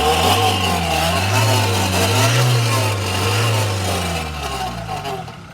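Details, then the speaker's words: Toyota Fortuner diesel at full throttle: deep, wavering roar with a hoarse rasp; turbo and catalytic converter already replaced without curing it, cause unknown. "es el ruido cuando acelera a fondo. Ya hice el cambio con un turbo y ya hice el cambio con el catalizador y nada, sigue el ruido cuando acelera a fondo."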